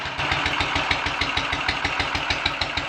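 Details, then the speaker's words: Royal Enfield 500 ASBO 36 single after top-end rebuild, Goldstar silencer, ignition timing retarded slightly and carburetor mixture and throttle stop adjusted: warm idle with steady, even thump about three beats a second, smooth, quiet, no misses; healthy. "it is very nice and smoothly and quietly and steadily"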